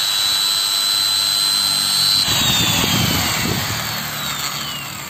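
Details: Magtec angle grinder after repair of rough running and a suspected internal burn, reassembled and test run: clean, steady high-pitched whine at full speed, then a smooth spin-down with no rattle or grinding; healthy.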